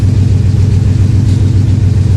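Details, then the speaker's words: 2000 Ford F-150 5.4 V8, 115,000 km, regular cab long box 4x4, MIL on: deep idle with uneven loping beat and a dropped pulse each cycle, number eight coil unplugged to confirm cylinder eight misfire. "make sure it's number eight that's actually got the misfire so I'm gonna use this test right here"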